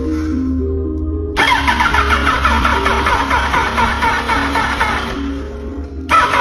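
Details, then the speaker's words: Yamaha R1 parked two years, first crank on a fresh battery: the starter spins fast, then drags and slows with an uneven whirring grind; the owner suspects the starter rusted and stuck inside from sitting. "After charging, the starter will change from fast to slow. I feel like the starter rusted out after years of parking"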